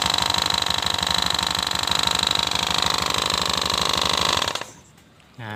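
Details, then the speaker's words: Honda Beat FI scooter with rough engine noise and seeping oil, CVT area removed and noise persists: coarse regular knocking about 3.5 beats per second until shutdown, traced to a loose, worn oil seal. "nah penyakitnya ternyata Masalahnya tuh sepele ya Bro nah ternyata Masalahnya tuh ada di ini bro di sealnya ini bro"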